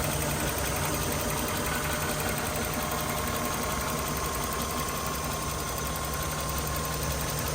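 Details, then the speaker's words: 1996 Toyota Starlet Glanza S with 4E-FE engine and new battery, idling: light quick ticking over a slightly shaky idle, normal Toyota valvetrain tick; motor mounts possibly worn. "Ticking sound you hear, that's literally every RAV4 I've ever had makes it. It's like a Toyota thing."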